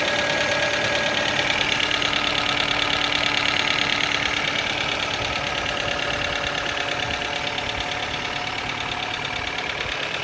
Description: Стук мотора КИА Сид. Цикличное клацание в верхней части мотора